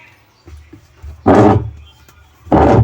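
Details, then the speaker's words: Union Lava Matic washing machine: loud, rough grinding bursts over the motor hum on each agitator stroke. The owner said a coin got inside. The diagnosis is a worn gear case (gearbox), which is to be replaced. "maingay. Ibig sabihin 'ag ganyan granahe o gearbox. Gear case."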